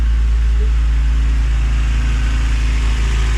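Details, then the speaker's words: K24A-swapped EM2 Civic coupe, cold idle after first start with new Drag Cartel drop-in cams and valve adjustment: steady low rumble with slightly uneven cam lope, running cleanly with no knocks or ticks; needs warming up. "It It sounds a little like a little bit more beefy."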